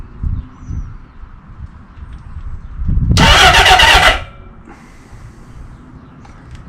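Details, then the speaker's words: Honda CB750 cafe racer in neutral, testing the starter through a new universal starter solenoid and M.Unit wiring: a one-second burst of quick, even starter whir with a solid engagement click; normal starter cranking. "So hopefully we should hear the starter motor click on."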